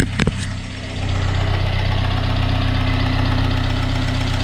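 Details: Freshly rebuilt engine (old one had a knock, suspected rod bearing) just started and warming up toward thermostat opening: steady low idle with a light quick ticking, about three a second, from the exhaust knocking around on a missing hanger.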